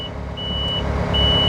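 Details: 250-tonne mobile crane during its annual technical inspection: two sustained high beeps over a steady diesel rumble as the hook touches the end-stop limit switch, locking out hook-up and boom-down movements; limit switch warning.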